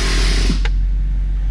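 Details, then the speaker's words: BMW E70 X5 not moving after driveline damage from slipping on ice, foot on brake: single dull clunk over steady running engine when shifted from drive into park; cause undiagnosed. "My foot is on the brake, and it's in drive. Now listen to this noise when I put this thing in park."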